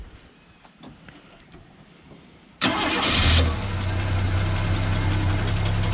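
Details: Ford XW sedan with a 250 pre-crossflow six and C4 auto, stored for 17 years, cranked on a second battery with the fuel line moved away from spark: brief crank, then catches cleanly into a steady even idle with no misses.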